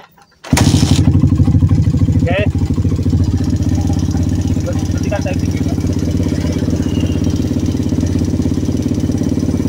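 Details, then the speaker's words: Suzuki Satria FU150 started and revved after an engine teardown and reassembly with fresh oil for a front-engine rattle. It settles into a steady, even single-cylinder idle without the earlier severe rattle. A slight noise remains from a badly worn camshaft that was left in. Normal idle. "oke tidak seperti yang tadi awal ya. I. Oke, karena tadi kan ngelotrok parah ya."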